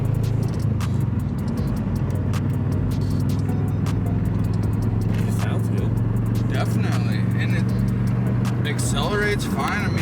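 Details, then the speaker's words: Subaru GC8 Impreza wagon on its first drive after a build: the engine pulls with a steady, even low drone that climbs smoothly under light throttle, no knocks or rattles; transmission and clutch feel nice; normal acceleration. "i'm not even like really on the pedal or anything crazy super smooth healthy it seems really nice man like i'm i'm kind of blown away at the moment the transmission feels nice the clutch pedal feels nice"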